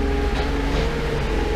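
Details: Datsun 280Z, sat in field since 2005, during master and slave cylinder work: short burst of steady even engine note with low rumble, no stumble; normal running.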